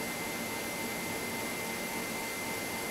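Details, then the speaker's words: Trion metal etcher load lock being vented: steady, even hiss of nitrogen rushing out with a faint high tone on top; normal venting sound. "not as venting the load lock that's the sound of the nitrogen hissing out of the load lock"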